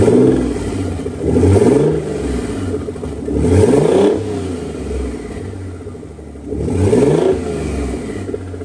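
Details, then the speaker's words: Nissan 300ZX Z32 twin turbo, no exhaust, no coolant, first start in a long time: each throttle blip comes out ragged, with uneven exhaust pulses as revs climb. Misfire clearer when revved, cause unconfirmed; the plugs are old except one random one. "But, uh when I uh revved it a little, you could tell that for sure there was a miss."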